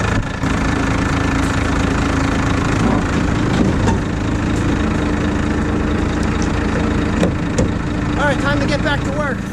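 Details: 1987 Ford F800 dump truck diesel after fan bearings replaced and belts refitted: steady low rumble, running evenly with no knocks, squeals or rattles from the fan area; engine sounds healthy, normal running.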